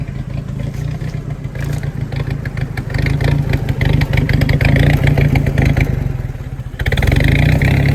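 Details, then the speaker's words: Willys-powered 120/240V 52 A Army skid generator with small light string switched on via breaker and voltage regulator: note sags and surges, lumpy labouring beat, speed dips under load; bogging, owner blames carburetor needing rebuild, still generates. "she's struggling hot dog oh no oh i gotta rebuild that carburetor but she generates folks"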